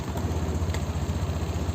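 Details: Honda Beat 2022 scooter started normally from the ignition key after remote alarm installation: steady low putter at idle with even, unbroken beat, no knocks or misses; normal idle.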